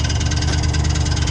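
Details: 1979 Chevrolet El Camino at idle, exhaust no longer straight-piped: fast even tapping, roughly fifteen a second, over a steady idle rumble; ticking noise of unknown cause, owner mentions the torque converter as a possibility.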